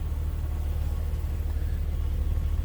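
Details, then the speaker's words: 1984 BMW 325e, 2.7L inline six with a Getrag 5-speed manual, 105,000 miles, heard from the cabin: a smooth, even low hum with no misses, ticks or knocks. A healthy idle. "So like I said, a lot of life left in this BMW. Very smooth running engine. What you'd expect it to sound like. Inline 6."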